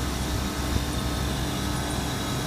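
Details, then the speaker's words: Hubbard scroll condensing unit serving two chilled drinks cases at a petrol station, with a compressor shorted to ground and tripping the breaker: constant fan roar with a low, rough rumble underneath; condenser fan motor bearing suspected to be going. "sounds got a bearing going in that f as well"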